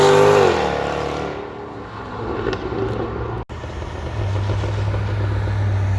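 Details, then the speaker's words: 2015 Jaguar F-Type R, rear-wheel-drive 550 hp supercharged V8, a few thousand miles into ownership: deep rev that drops away on a downshift, then settles into a steady low burble; strong, even, normal exhaust note. "I cannot make an f-type video without mentioning of course my favorite thing that would be the exhaust sound check it out"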